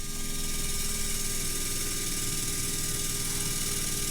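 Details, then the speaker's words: Steady even electric buzz with fast regular pulsing from the repaired water-methanol injection pump on a 3rd gen Toyota 4Runner, pumping methanol washer fluid mix into a cup; pump working normally. "we go looks like we got the problem solved we got fluid in our cup so we know that the pump is working"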